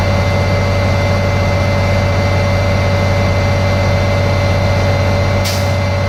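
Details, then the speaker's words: Diesel truck air brake check at idle: the compressor works until the air governor cuts out (expected around 125 to 135 psi), with a sharp short burst of air; normal cut-out. "Now we're going to check to see the governor cut out, so the air compressor will stop pumping air to the tanks. So that should be around 125 to 135 psi. You'll hear it cut out."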